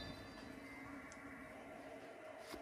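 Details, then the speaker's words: 2020 Bad Boy Maverick 60-inch mower deck, 77 hours: quiet, even whir from a good spindle, smooth and quiet bearings, no grinding; the chute-side spindle, not this one, has the failed bearing. "we've got a 2020 bad boy maverick with 77 hours on it as you can tell not not abuse of ours to it so we've got a good spindle and bearings here"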